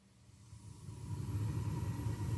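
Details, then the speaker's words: Burnham Series 2 gas boiler burner, installed 2004 (19 years old), three zones: the damper opened and the burner lit, a low soft rumble swelling to a steady roar; normal burner firing. "I don't know if you can hear it could you hear that that's the sound of heat"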